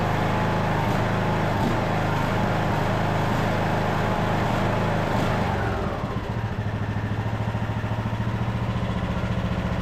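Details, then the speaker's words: Craftsman LT2000 riding mower after carburetor work, air box and air filter off: the engine runs hard, then its speed sags and steadies unevenly. This is a mild surge at full throttle; the owner hopes the air box and filter will help. "So far it seems to be running pretty decent. Definitely has a little surge on the full RPM, but it might help too with the air box and an air filter on there."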